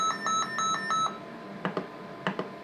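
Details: Test set overload alarm, about six sharp high-pitched beeps in one second, triggered while probing the receiver stages near the crystal lattice of a deaf Motorola M120 (GM300 variant) radio during troubleshooting.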